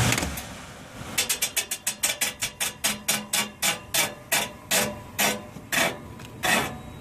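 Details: Old York package unit evaporator blower motor, unit not cooling: sharp rhythmic scraping ticks about four a second, spacing out as motor slows; motor rubbing, suspected worn bearing losing alignment; motor later replaced.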